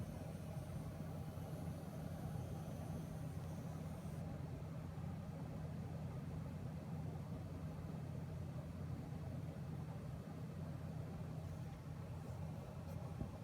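A quiet, steady low buzz hums evenly the whole time from the graphics card, with no change in pitch; cause unknown.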